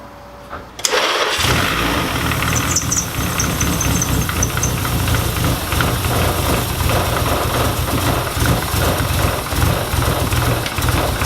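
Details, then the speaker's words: SR20 engine in a 240 cranks and catches into a choppy, uneven idle, running very rich with AFRs near 10 and wet spark plugs after losing power at about 5,000 rpm; fuel-related misfire, all plugs sparked fine. "It's definitely fuel related because those AFRs are sitting right around 10, and that's about where that gauge maxes or minimizes out. You can't go richer than 10 on that gauge, so it's just dumping fuel in there"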